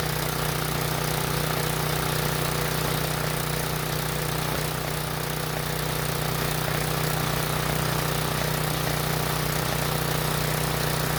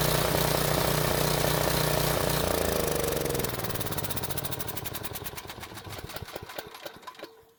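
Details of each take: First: Briggs and Stratton generator, unused for a while and previously non-starting, running on fuel put into the line while powering a halogen work light; steady, even low hum that never hunts or stumbles; normal running under load. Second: Briggs and Stratton generator running on fuel put into the line, powering a work light; chug loses power, firing pulses space out and fade to silence as the bowl empties despite closing the choke; engine dying from fuel starvation.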